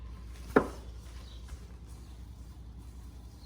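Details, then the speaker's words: 2000–2004 Ford Focus SE rear wheel with drum brakes, spun by hand on the good side: one knock as pushed, then quiet, even spin with no grinding or whine; healthy bearing. "All right, pretty quiet."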